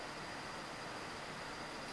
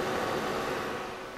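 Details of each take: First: Old decommissioned desktop PC after power supply replaced with a quieter unit, booting: soft, steady fan hiss with a faint high tone, no rattle, grinding or roar; huge improvement over the earlier jet-engine noise; normal quiet running. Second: Old desktop PC with side panel off: steady airy whoosh with faint buzz; loud fan noise mostly from the power supply, with some CPU fan and large video card noise, before PSU replacement.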